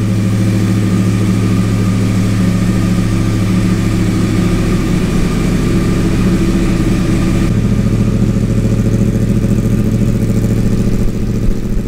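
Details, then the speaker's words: Wrecked 2014 Yamaha R1 crossplane motor after hitting a deer, 2,304 miles, fuel pump primed, in neutral: starts on the button, settles into a steady, even idle, then revs cleanly with no knocks or rattles; normal idle and revving. "let's hit the start button and see if this thing goes [Music] oh yeah fired right up"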